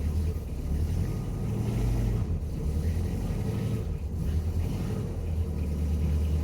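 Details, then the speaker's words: 1967 VW Beetle after fixing fuel leaks, now fueling all four cylinders, started after 70 miles of driving the day before: steady, even low rumble, no misses, pops or knocks; healthy idle. "so put about 70 miles on this car yesterday Street and freeway driving and it's running perfect"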